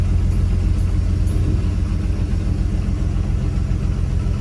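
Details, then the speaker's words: Classic Dodge D150 truck idling after warm-up, about to set off: a deep, steady rumble that stays fast and even with no throttle input. It is ticking over far too fast, and the owner blips the throttle to try to slow it. "as you can hear the thing's ticking over far too fast try and slow it down down by blipping the throttle for a bit"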